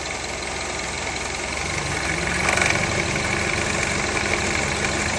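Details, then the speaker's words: 2003 Honda CR-V K24 idling with AC turned on: harsh, uneven metallic rattle from the AC compressor clutch, found completely worn out and replaced. "turn it on so after further investigation we found out that the AC clutch was just gone"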